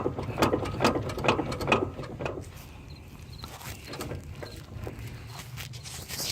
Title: 2004 mountaineer or explorer awd clicking noise when reversing and turning